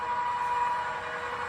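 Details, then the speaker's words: XYZ Proturn 420 lathe after replacing spindle and countershaft bearings, spindle running: steady even hum with clean mid-pitched tone, no knocking or grinding; new spindle bearings sound healthy, normal running. "But so there it is running."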